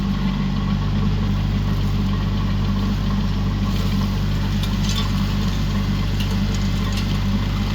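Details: Used 2018 Woodland Mills WG24 3-point stump grinder on a tractor PTO (run below the rated 540), grinding a beech stump: deep steady engine roar holding speed while wood chips crackle and spatter; chews through without bogging.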